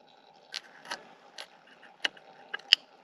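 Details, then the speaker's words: John Deere 350B crawler dozer, top cover off, fuel shutoff solenoid powered and grounded to the manifold: sharp irregular metallic clicks as it pulls in; solenoid works, and the sliding fuel shutoff bar, stuck halfway, now slides easily. "That's what it should do. I was just trying to figure out how this whole thing worked. And I was wondering what the solenoid triggered."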